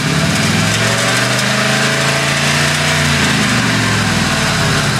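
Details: 2001 Ford F-150 5.4, engine starting and idling: light quick ticking over the rumble, present at every start and on acceleration, began about two months ago; cause undetermined.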